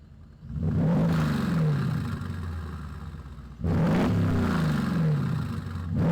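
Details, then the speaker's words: Muffler-deleted V8 exhaust on a Mercedes GL450, about 14 years old with air suspension: two sharp revs climb and fall smoothly with a deep, loud, open rumble. The owner wondered if it sounds like an AMG. Healthy engine, normal revving. "And this one does have a muffler delete. I can't lie. I wanted to see how it would sound. See if it would sound like an AMG or not."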